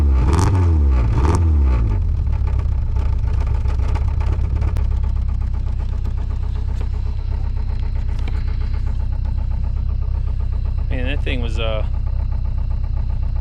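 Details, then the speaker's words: Dodge Neon after sitting, cold start after long flood-clear crank: engine catches and runs rough with loose uneven ticking; owner suspects lifters lost their oil prime from sitting. "think was unhappy about starting but it started uh usually what happens when these sit is the uh the lifters lose their Prime they don't have any oil in them"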